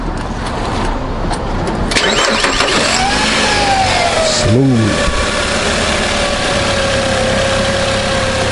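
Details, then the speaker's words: 2002 Nissan Altima after replacing valve cover gasket, spark plugs, coil pack, PCV valve to cure misfire: brief crank then steady even idle, only slight vibration versus rough shaking before; repair successful, normal idle. "a little vibration everything seems good but before it was shaking really rough"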